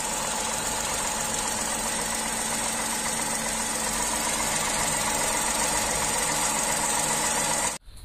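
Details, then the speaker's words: Tata Tiago three-cylinder engine idling with bonnet open, showing engine vibration; steady, even, slightly lumpy beat with faint high hiss, normal vibration from three-cylinder firing order. "तो यह जो vibrations हैं यह तीन cylinder engine के अंदर जो firing order होता है"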